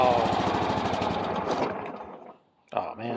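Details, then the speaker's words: Craftsman riding mower with 22 hours on the meter and a battery borrowed from a Cub Cadet, started on choke: a fast, uneven chug of about three beats a second fades and dies. On the retry it runs on its own. "and it died try it again hold it runs it runs on its own"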